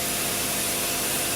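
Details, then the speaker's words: 2000 Fadal VMC 6030HT 5-axis mill, spindle at 5000 rpm in high gear, not warmed up: even smooth hiss, no rumble, grinding or drag; no spindle load, bearings healthy, mechanically factory spec. "there's 5,000, nice and smooth. Absolutely no spindle load, nothing's dragging in there. Doesn't need bearings."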